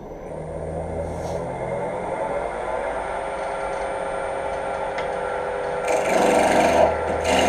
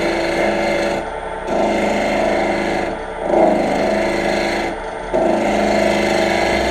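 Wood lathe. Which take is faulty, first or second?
second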